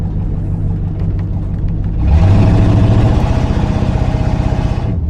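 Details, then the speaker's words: 1968 Lincoln Continental V8 after valve-tick repair attempt, driven around the block: low rumble growing louder under load with rough, uneven pulsing about four beats a second; better at idle, still sounds funny under load, cause unconfirmed; idling slightly high, owner suspects vacuum leak. "I guess still sounds funny under load yeah it sounds funny under load"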